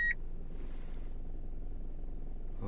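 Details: Kia Rio 4 automatic at 68,000 km, idling: a short chime, then a deep drone with low throbbing vibration and knocks when shifted into R (also D). The vibration disappears when shifted out, and the cause is unknown, possibly the gearbox.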